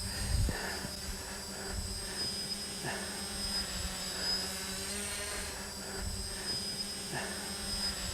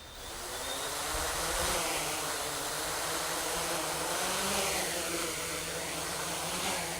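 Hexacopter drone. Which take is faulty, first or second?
second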